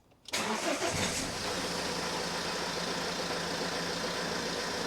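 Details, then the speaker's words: 2010 Ford C-Max 1.8 diesel just after oil and filter change, not revved: short crank catches quickly then smooth, steady tick-over with no knocks or rattles, oil pressure light goes out; normal cold start. "um you don't need to rev it it's actually not a good idea to rev an engine that's just been fired up"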